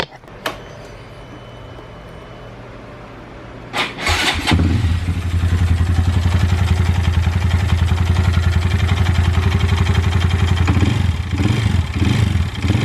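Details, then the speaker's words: Honda Grom single-cylinder idle before repair: rough, regular tapping about four knocks a second; owner suspects timing chain tensioner or possible rod knock, not confirmed. "as you can hear that's uh that's pretty rough"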